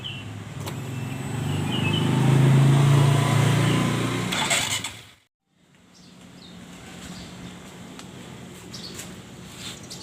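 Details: Honda Supra X Helm-in motorcycle with a rough engine complaint, clutch removed: a steady, rough knock about three or four times a second persists with the clutch off, pointing to a worn connecting rod.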